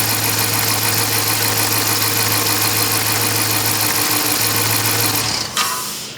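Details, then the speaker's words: 2012 Dodge Charger 5.7 Hemi idling with coils 5 and 3 swapped; lumpy uneven beat, stumble about three times a second; dead misfire remains on cylinder 5, mechanical fault, compression test next; misfire from failed intake lifter. "so we still have a dead Mist on cylinder five as suspected three is running good so I was pretty sure that we had a mechanical problem and that's what it seems like"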